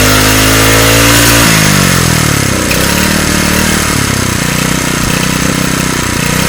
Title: running a newly fixed engine